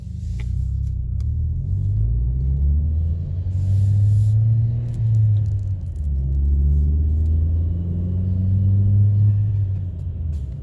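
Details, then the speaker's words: 2012 Chevy Sonic turbo hatchback with a new cheap eBay cat-back exhaust, cruising on the highway near the speed limit: a deep, smooth note rises and falls with no drone or rasp, and it is barely audible; a small leak remains. "so this is pretty much speed limit my 1773 miles an hour the exhaust is not Germany at all honestly barely hear it so I think it's good it's a success"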